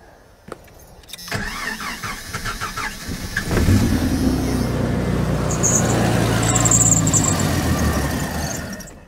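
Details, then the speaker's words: 1990 Jeep Comanche: cranks, catches, runs a few seconds on a ragged idle, then dies; fuel pressure gauge at Schrader valve shows only about 10 PSI, fuel delivery fault. "Yeah, so we're like at 10 PSI-ish. This is definitely fuel delivery related."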